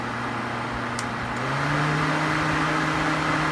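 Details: Suzuki SX4 cooling fan with overheat simulated on the ECT sensor via a decade box: a steady fan whoosh with a hum that steps up in pitch and loudness as the fan shifts to high speed; normal high-speed mode.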